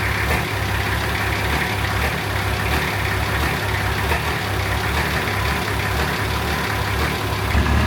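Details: Nissan Patrol diesel after fitting a new 270hp injection pump, front-mount intercooler and exhaust manifold: deep, steady idle, even clatter with no misses, surges or knocks; first run sounds healthy, normal diesel idle.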